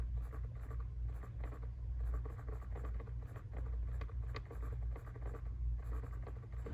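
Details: Jeep Wrangler JL: dry, uneven clicking ticks from behind the passenger glove box over a low cabin hum; blend door actuator suspected, not confirmed.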